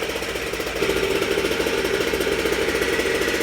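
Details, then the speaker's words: Goped Super Xped G290RC two-stroke, 2 hours on engine, Sikk Toys pipe with silencer and bigger manifold spacer, after unloaded revs to 9,000 rpm: quick even buzzing idle with no misses or surging, running great. "Running great. Sounds sick too, huh?"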